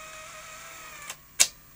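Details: Technicolor Showcase / Grundig VP100 CVC-format video recorder after fitting new drive belts, test run: faint motor whir then two crisp clicks as tape laces and play engages; healthy transport.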